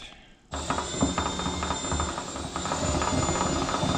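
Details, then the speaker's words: John Deere GX75 mower deck blade spindle, pulleys removed and spun by a drill; uneven rattling knock near four a second over the motor whine, with visible runout — owner suspects a bent shaft; spindle removed for rebuild. "What I'm noticing is that I think the shaft is bent. I don't know if the camera can pick it up, but there appears to be a substantial amount of runout."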